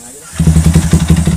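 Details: Yamaha Y15 motorcycle engine at idle: uneven lumpy thumping, about six pulses a second, with a coarse rattling edge that goes away when throttle is opened; mechanic suspects something broken or loose on the left side, not confirmed.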